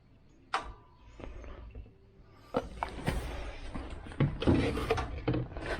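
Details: 1969 Chevy Van six-cylinder, off the road 35 years: a few uneven cranking bursts, then it catches and settles into a steady low rumble; sounds good, though it isn't pulling fuel and owner suspects the fuel pump.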